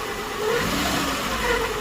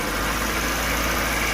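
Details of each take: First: Maruti Eeco engine revving: light rasping, rubbing noise over the engine that eases as it settles; the customer complaint was caused by an overtightened timing belt, and after adjustment it runs with a normal sound. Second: Maruti Eeco engine after fix, revved: steady even smooth hum with no grinding, ticking or squeal; normal sound now. The earlier rubbing noise, the customer's complaint, came from an over-tight timing belt.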